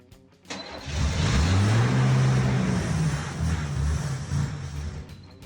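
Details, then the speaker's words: 1976 Chevy C10 six-cylinder farm truck, sat for years, first crank on starting fluid; catches then settles into low, uneven, lumpy wavering idle; rough idle from vacuum leaks with vacuum lines disconnected. "Got some vacuum leaks, but Yeah, it does have some vacuum lines off it, some other little stuff, and she will run."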